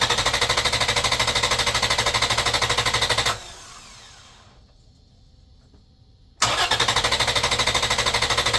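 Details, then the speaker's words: Engine cranked on a Buture Beta07 6000 A jump starter in boost mode: strong, even cranking about three beats a second without slowing, repeated for five good cranks with no start. The pack dropped one charge bar. "I believe that was 5 good cranks."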